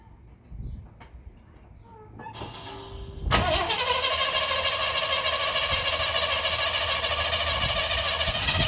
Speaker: Alright, so here she is. I'm gonna fire it up so you can hear it with the new exhaust.